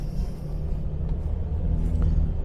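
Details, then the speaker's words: 1977 Jaguar XJ12 V12, warm and idling after a drive, with 65 psi oil pressure and temperature normal: a barely audible, smooth, vibration-free idle hum, plus a faint clock tick and AC fans. This is a normal idle. "we're sitting here idling if it wasn't for you know I had takama there in front of me I would have no idea the car is running"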